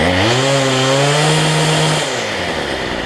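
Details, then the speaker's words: Cheap weedeater (number 3 of 4) after fitting a replacement Chinese carburetor kit: two-stroke revs up cleanly, holds steady high pitch, then drops to smooth idle; trimmer running healthy after carb swap. "That's good. Only took me about 10 minutes on that one, so 15 minutes."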